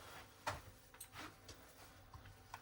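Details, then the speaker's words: Aurora ABB Power-One Uno grid-tied inverter with a rotary isolator, being checked for a Vgrid fault (grid out of range, 0 V). In a quiet room, a few sharp irregular clicks are heard: other relays clicking in from the other solar panels, a normal sound. "That's other relays that were clicking in from the other solar panels, if you can hear that in the background."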